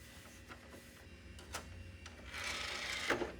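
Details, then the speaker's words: HP/Compaq early-2000s desktop, top optical drive tested for the first time after dusting: soft clicks as the tray settles, then a clean rising whir as the disc spins up; normal spin-up. "sounds like it spun up okay"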